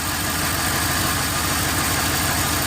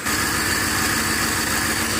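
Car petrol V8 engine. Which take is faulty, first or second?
first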